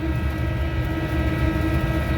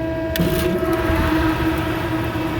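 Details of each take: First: Commercial kitchen exhaust fan found not running, with belt okay, switch on and motor not hot. It now runs, drawing under its 3.4 A rating, but has a deep steady rumble with a thin level metallic ringing hum, pointing to a worn motor bearing. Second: HVAC belt-drive fan after a new motor and new power switch were fitted, with phase rotation checked and the belt set to the old pulley: a steady whir with no squeal or rattle, blowing dust. Current draw is within the allowed 3.47 amps, so normal running.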